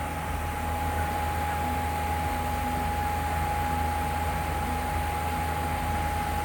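Steady loud hum with a constant mid-pitched tone over an even rushing background, no change in speed; source of the hum unclear.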